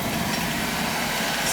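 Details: Boiler after a new circulator, expansion tank, relief valve (old one leaking from the bad tank) and gauge, with zones purged: a steady, even burner roar with no knocks, squeals or surging. Firing and running normally.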